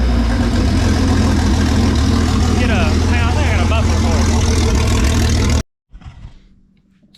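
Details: Freshly built Jeep 4.0 inline-six from a ZJ Grand Cherokee, converted to a 00-01 XJ coil-pack engine, on an engine stand with open exhaust: loud, steady running, brief rev then shut-off; even firing, no knocks or rattles; healthy.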